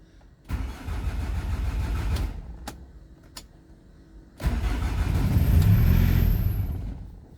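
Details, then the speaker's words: 2011 Hyundai i800 D4CB diesel that lost power on the motorway and won't start, cranked after glow plug light goes out, two tries: catches briefly with a low rumble then stalls within seconds; fault code P1185 logged, cause not confirmed. "now i'm going to start the engine so the engine start the engine starts and immediately stalls"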